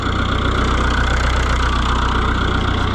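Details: Oliver 1365 diesel tractor idling after replacing its original fuel pump with a new one: even, steady chug with regular firing beats, no hunting or knocks; engine running normally.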